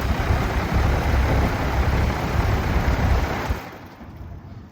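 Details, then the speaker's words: Old outdoor AC condenser unit, compressor wire disconnected and plunger pressed to run only the fan: heavy low throbbing rattle and vibration from an unbalanced fan blade, apparently beaten after a motor replacement. "So the reason this thing was having a lot of vibration was the fan blade basically."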